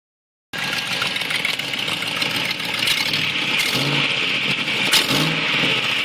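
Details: 2004 Land Rover Discovery running: sharp raspy puffing and ticking far louder than stock, sounding like a muscle car; exhaust manifold leak, fixed by replacing the exhaust manifold gasket.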